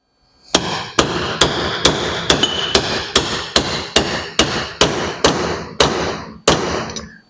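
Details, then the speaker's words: Dana 20 transfer case rebuild for 1969 Ford Bronco, bearing race driven in without a press: about a dozen sharp ringing hammer blows, two per second; tone shifts as race bottoms out fully seated. "And again, you hear the sound change when it bottoms out. So that's when you know it's in."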